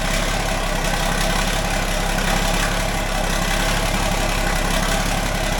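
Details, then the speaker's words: John Deere 4640 diesel tractor that had been sitting, started after battery charging during radiator repair: steady, even idle clatter with no stumbling; a normal cold idle, though it normally carries on more. "it's been sitting a while normally it carries on more than that when uh try oh don't let him rev it up a little bit and let it let it warm up"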